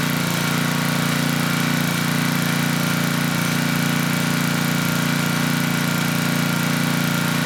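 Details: Tecumseh HM100 10hp engine on a Western Hemisphere 6,000 W generator, after oil top-up: steady, even single-cylinder drone, slightly slow. Engine speed low; governor spring tension adjustable, but the carb, needing choke and with a leaky needle-and-seat, needs cleaning first.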